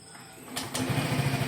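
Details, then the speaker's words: Yamaha Ego Gear 125 scooter starting right after fitting a new battery, replaced three years after purchase: quick starter burst, engine fires at once and settles into an even, steady putter; normal start and idle. "Okey, mari kita start engine dia. Kita cuba. Wah, bateri baru cantik."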